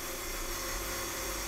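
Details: Rotary converter (dynamotor) 12 V DC in to about 180 V DC out, running unloaded: smooth constant whir with steady hum, no sparking, crackle or surging; runs normally.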